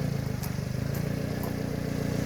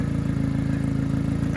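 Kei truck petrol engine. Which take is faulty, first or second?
second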